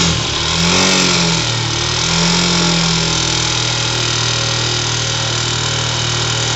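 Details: 2007 Yamaha YS250 Fazer single, noise began after switching to Petrobras Podium gasoline, appears on harder revs in any gear, sometimes cold; tensioner replaced without change: steady drone swelling with throttle, busy rattly top end; abnormal noise, cause unclear.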